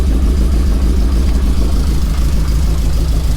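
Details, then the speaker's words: 1987 car, first runs after fixing a loose underbody plug connection: low idle with an uneven, lumpy beat about three pulses a second instead of a smooth hum; missing on a cylinder or two, plug leads to be checked. "It is missing on a cylinder or two."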